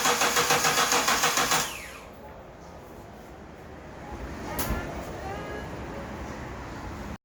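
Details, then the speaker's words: Hyundai Galloper LPG with vaporizer, towed in after morning starting trouble worsened to no start, battery weak: slow, regular cranking about three and a half turns a second for under two seconds, never catches; crank no start. "배터리가 약해서 일단 지금 한번 해봤는데 아직 희동이 안 됩니다"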